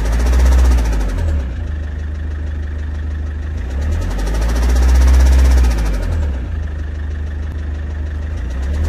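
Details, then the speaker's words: Idling petrol engine with a heavy, regular low knock about three or four beats a second; owner reports sudden noise, strong shaking on acceleration, bad smell from the rear; injectors tested fine; cause suspected, not confirmed. "شعرت ضجيج في المحرك ورجه قويه عند التسارع، تجاهلت الموضوع لبعض كيلومترات ثم تفاقمت الصوت تقطقه ورائحه كريهه من الخلف،"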